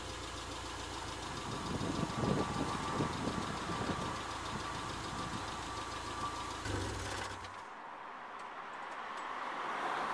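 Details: Subaru at idle: loud raspy blatting exhaust, rougher than normal; exhaust leak from a massive tear in the rear silencer (back box).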